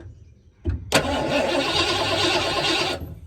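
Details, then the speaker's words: 1986 Ford Bronco with 351 Windsor V8, sat for 16 years, cranking with a spark tester fitted. About two seconds of steady cranking that never catches; no spark shown, distributor rotor turns so timing chain likely intact. "does not appear to have any spark um all right next thing I'm going to do I'm going pop this distributor cap"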